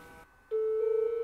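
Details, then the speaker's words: Macintosh after floppy head cleaning: single wobbling Sad Mac error chime again instead of normal startup; suspected cause the System 1 boot disk is too old, another disk then boots fine. "no same arror oh just realized maybe that system disc is too old yeah this is system one it probably won't work on this machine"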